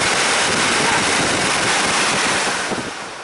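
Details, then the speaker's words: Old Chrysler van HVAC blower, new aftermarket blower motor just fitted, full speed drawing 25 amps, same as the old motor. Strong steady rush of air, no squeal, rattle or ticking; blower normal, so only the resistor module needs replacing. "25 amps well maybe we're not replacing the blower motor uh I guess that's normal amperage in this case"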